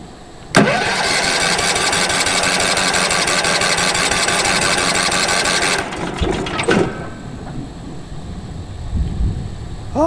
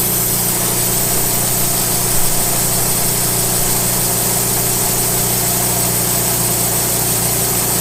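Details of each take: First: Late-1990s Wood-Mizer LT15 sawmill engine, sat for years, after oil change, new battery, air filter; cold start on choke: starter cranks steadily about five seconds without firing; owner suspects fuel not yet reached engine: cranks but no start. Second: Late-1990s Wood-Mizer LT15 sawmill engine, long-stored, after maintenance, still running despite its age: even steady drone with constant firing hum, no knocks or surging: normal running.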